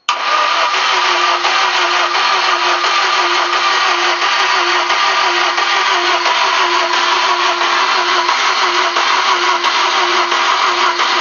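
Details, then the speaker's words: VAZ 2110 petrol engine after capital overhaul, clutch pressed while cranking: even steady cranking for ten seconds but no start; no spark from a broken crankshaft position sensor, later replaced. "Так, что-то не заводится. Сейчас проверим там бензин, искру. Посмотрим, что там, из-за чего."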